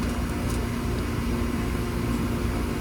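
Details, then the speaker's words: AC condenser on a no-cooling call, near 100 degrees, with a blank thermostat; wires found chewed, possibly by rodents. Running after the wire repair: steady compressor and fan hum, no rattles, blowing hot air. "She's running. Shoo-wee, that's putting some fire and hot air."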